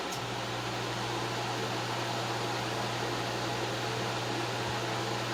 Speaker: Looks like everything is working properly here. Alright. Great. I think that's going to turn out just fine.